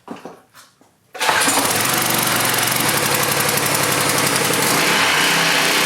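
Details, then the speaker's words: Cheap Lowe's pressure washer engine at high speed setting with maximum governor spring tension; catches and runs fast, buzzy and even, above the roughly 3,500 rpm target. Governor spring overtightened, tension to be released. "go i think that's a little bit too fast is it okay i'll release a little bit of pressure on the spring and go again"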